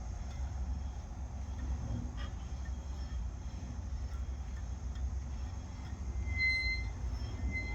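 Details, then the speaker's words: Bicycle wheel spinning in a stand during spoke tightening: whir over low rumble with a brief high squeak near the end, still present after adjusting a few loose spokes. "Still got that fucking squeak, as you can hear."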